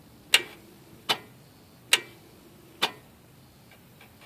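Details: Nissan Maxima no-start, no-crank starter and battery test: four sharp single clicks about a second apart with no cranking behind them; clicking on start attempt, no crank.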